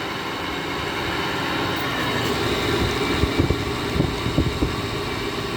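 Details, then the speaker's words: 2009 GE 10,000 BTU window air conditioner made by Samsung, first start in a year, stiff Broad Ocean fan motor sprayed with WD-40: loud continuous roar with rough uneven rattles as the fan spins; fan motor bearing noise. "this sounds like one of those 90s uh comfort touch sharp air conditioners the samsung fan motors that always like to do this i don't mind it myself if i was using this unit i wouldn't mind the loud noise"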